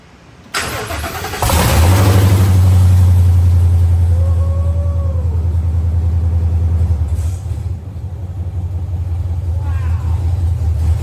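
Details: 1964 Ford F100 with 7.3 Godzilla V8 and newly fitted KOOKS headers (from 2020-2022 F250/350), two-piece top radiator hose: cranks briefly, catches, settles into deep even V8 rumble, no ticks or knocks; normal start and idle.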